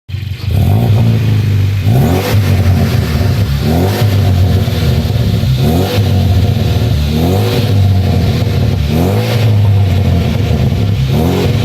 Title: Vt custom 3" dp w/ exhaust leak